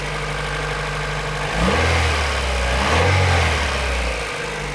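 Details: Honda CRX VTEC with only 1,400 km, mechanical restoration finished, idling after start-up: smooth, even idle with two brief throttle blips that rise and settle cleanly, no knocks or ticks; engine sounds healthy.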